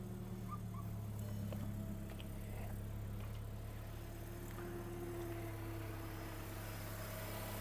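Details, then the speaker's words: 2008 VW Golf 5 1.6 MPI petrol, 187,000 km: quiet, steady low idle hum with no knocks or stumbles; the engine runs quietly and evenly and sounds healthy. "перевірка стану роботи двигуна автомобіль звівся співтиху працює тихо рівно"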